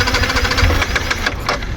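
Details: Yamaha MT-15 after sitting long unused: starter cranks with rapid chugging, four or five beats a second, catching weakly but never running, light smoke from silencer; cranks but won't start.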